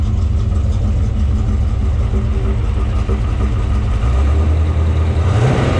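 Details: Factory Five '33 Hot Rod roadster (2015 assembled), 351 Windsor stroked to 408 CI, 512 hp, dual Edelbrock 500 CFM carbs; after warming up, deep even rumble with a clean rise in revs near the end, no knocks or misses; normal, healthy V8.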